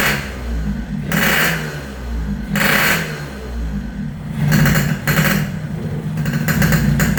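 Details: Yamaha RX King two-stroke after repairs for compression loss (worn right crankshaft seal and O-ring, resurfaced block, fixed head leak), air-screw tuning: fires, takes several sharp throttle blips, holds crisp steady idle between; running properly again.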